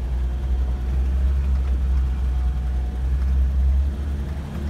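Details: 1984 Toyota Land Cruiser 45 with 2F petrol engine that used to stall after about two minutes, after a failed ignition coil was replaced: a steady low rumble driving smoothly under light load over a bumpy paddock, no stumbling. Runs healthy.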